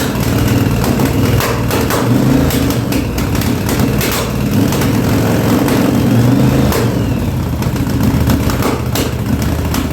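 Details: 1983 Yamaha Virago 920 barn find, after replacing a dead rear-cylinder spark plug: uneven, loping idle with beats dropping out; front cylinder kicking in and out, owner unsure if fuel or a failing plug; gas leaking, needs tune-up.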